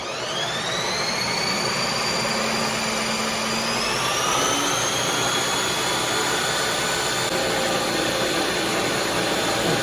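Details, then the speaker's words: Ninja Creami-style ice cream maker on roughly two-minute cycle with thickened keto mix: loud steady high whine with grinding underneath, pitch changing as blade moves from air into the frozen mixture; normal running. "Hear that grinding sound? Now it's down to the keto chow creamy part. You can hear a sound when it goes from just air before it hits the actual mixture."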